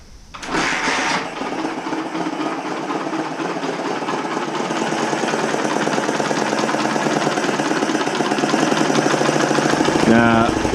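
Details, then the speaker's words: 1980 Honda XL250S single running with no air filter after a mouse nest was cleared from the airbox. Fast, uneven idle with a sharp hissy puffing over each firing. Owner suspects an exhaust or intake leak, or a clogged muffler pushing exhaust back through the intake. "sounds like an air leak or something like an exhaust [Music] leak or is it or is it the intake since there's no filter in box maybe it's the air intake"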